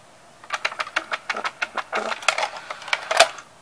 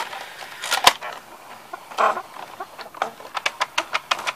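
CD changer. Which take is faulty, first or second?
second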